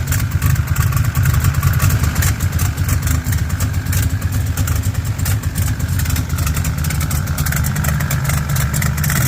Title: still got exhaust leaks. dammit